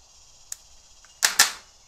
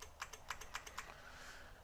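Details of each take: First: 1999 Honda Valkyrie Interstate, not run in over two years, cranking test: a few sharp clicks, then the starter spins up with a steady, even high whir; starter motor works. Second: 1999 Honda Valkyrie Interstate that had sat for years, with a new battery reading 12.9 V. Rapid light clicks, about seven a second, and no starter spin: the starter relay chatters and the engine won't crank.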